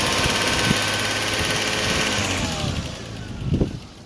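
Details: 1998 Lexus GS300 engine: light, uneven top-end tick over idle that gets louder as revs rise, mildly audible in the cabin when accelerating; engine ticking, source not pinned down.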